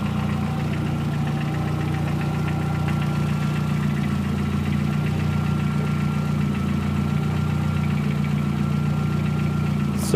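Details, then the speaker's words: VW Gol 1.0 8v, odometer 120, 20W50 mineral oil, possibly overheated once; fully hot, fan not yet on, quiet when cold. Steady idle drone with an irregular light clacking that vanishes on throttle; owner suspects piston pin or skirt. "Só encostar o pé no acelerador que o barulho some. Parem a hora que larga o pé do acelerador. Parece tem algo solto dentro, sambando dentro do motor. Provavelmente chuto eu aí que é pino de pistão aí que tá batendo."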